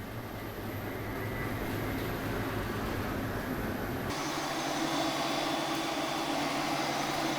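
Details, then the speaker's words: Large industrial squirrel-cage dust-collector fan with a three-phase induction motor, run from single-phase residential power through a variable frequency drive and drawing 3.1 amps. A smooth, even hum carries a thin, steady high whine, which is normal for a VFD-fed motor. "you hear the whining noise that's coming from that motor that is a very normal sound that comes from any motor controlled by a variable frequency drive"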